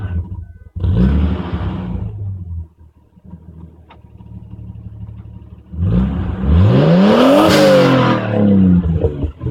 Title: No more exhaust leak!